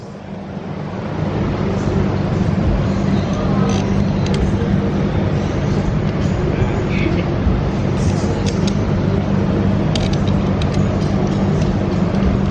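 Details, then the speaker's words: Turbocharged Mitsubishi Lancer, first start after about two months of work with turbo fitted: steady low engine note with a couple of smooth revs, no misses, knocks or hissing leaks; running clean. "So started up, rev it a couple times, sounds good."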